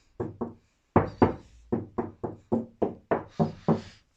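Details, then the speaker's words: Bass car door being strengthened: hollow knocks ring on after each tap, about four per second; the door skin still resonates in two sections, middle has no flex, fiberglass to be bonded to the skin. "There's still quite a lot of resonance in there at the moment, as you can hear, mainly in this section and this section."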